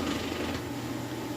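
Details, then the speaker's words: Whirlpool Cabrio high-efficiency washer on its final high-speed spin as the drain pump kicks in: smooth, steady spin hum with a low pump drone underneath, no shaking, thumping or bearing noise; normal spin with drain pump running. "That's the drain kicking in there. As it spins at this high speed, all the water gets thrown from the clothes, and of course it's sucking the water out. But you can see here it is very smooth."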